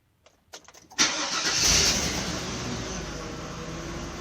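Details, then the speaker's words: 2002 Chevy Avalanche 2500 with a bad fuel pump: a few short cranks, then catches with a loud rush and runs unevenly; MAF and fuel trims drop, injector pulse width rises before stalling, open loop. Weak pump starving fuel. "so the mass airflow went down and gently folks with went down it went up then injector pulse would start go up and start to stall"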